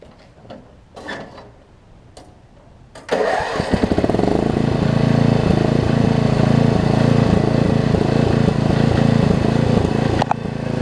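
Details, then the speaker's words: Murray rear-engine riding mower, small single-cylinder engine, after an exhaust valve grind to fix low compression. It catches and runs with a slight hunting rise and fall in speed; owner suspects valve setting. Engine surging, cause unconfirmed. "can hear it surging a little bit but again i did a valve grind on it so who knows you know how close i got the valves"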